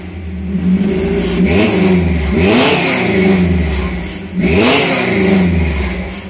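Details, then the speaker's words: 1978 Toyota Hilux with swapped-in 22R petrol engine, three throttle blips with a buzzy rattle on each rev rise; exhaust vibrating, one pipe temporarily held with wire or rope until the right pipe is fitted. "you can hear a lot of things vibrate and I actually got some wire hold one of the pipes of rope right now to get the right pipe on it"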